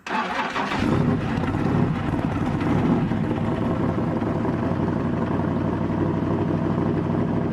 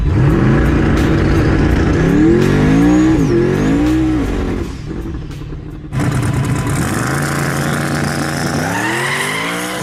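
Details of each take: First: S-10 race truck after fitting an MSD distributor shaft into its housing with a modified Mallory bronze gear: short crank, catches within a second, steady even idle with no misses; initial timing then set to 36 degrees. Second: Turbocharged S-10 street race truck, test hit after a fresh fuel swap: the engine note climbs, then turns ragged and stumbles as boost builds; ignition breakup traced to a faulty distributor.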